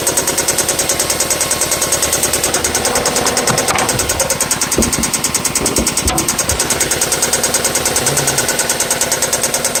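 Steady idle with a sharp, even tick about three times a second riding over the engine; a tick or knock whose source isn't pinned down yet.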